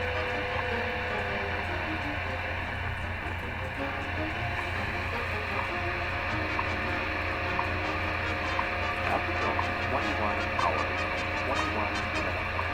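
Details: 1934 Westinghouse WR-24 radio under restoration on a wire antenna, tuned to the 10 MHz clock station: a steady low mains hum with hiss and faint crackle buries the barely audible time signal. The hum is traced to a reversed ground connection; computer noise is also suspected.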